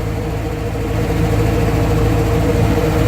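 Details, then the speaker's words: Warm Atomic 4 inboard boat engine idling, pumping cooling water out well, at 40–45 psi oil pressure with temperature rising; a steady, even, low idle with no knocks or misses. It sounds much better after the repair. "surely oh she just sounds so much better carrying a good 40 45 pounds of oil oil pressure temperatures coming up"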